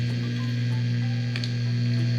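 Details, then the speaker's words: DOD FX7 guitar effects pedal on a non-original, unregulated transformer power supply: a steady low static buzz at one pitch in overdrive; first blamed on a nearby electric fence, then the unregulated supply is suspected, with a regulated one to be fitted. "and when you go to overdrive it will do that stuff that noise that is static there it's just coming from the electric fence"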